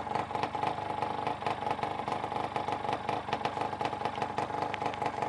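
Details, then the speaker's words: Two-stroke engine, first start after a rebuild, started within three kicks: crisp, steady idle with even popping, a clean mid-pitched buzz and a whirring noise, judged normal bearing noise; running sweetly. "That noise, that whirling noise, normal. Bearing working, isn't it?"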